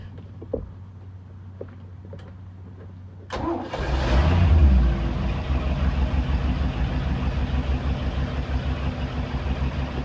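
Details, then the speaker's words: Engine with a newly installed Edelbrock 1410 carburetor after a choke adjustment, cold start after sitting several days. Quiet clicks, a short crank, then it catches and settles into a steady, even idle; a clean, normal start. "actually now I don't know that started pretty good but see right after the key the ancient cranks see she went to normal working condition"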